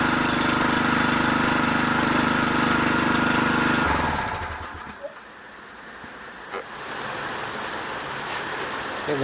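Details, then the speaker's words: Troy-Bilt pressure washer with Briggs and Stratton engine runs with a steady, even buzz for about four seconds, then cuts out, under rain hiss; it was fixed by freeing a stuck carburetor float, and the spark plug was also replaced. "i can't use it like that the float on the carburetor was stuck as an easy fix"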